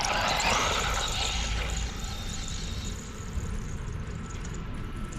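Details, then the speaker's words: Tamiya Bigwig RC car being driven: sharp high squeal rises over the motor whine for a couple of seconds, then fades. Owner thinks the front wheels are causing it; unconfirmed. "That's just sickening. It's really bad. I think it's the front. It's the front doing it."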